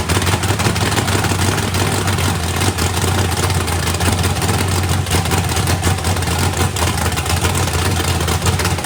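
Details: Freshly built 409ci small-block Chevy V8 drag car on first fire-up, turbo not yet fitted, battery nearly dead: steady, even, lumpy rumble with no knocks or ticks over the exhaust; running healthy.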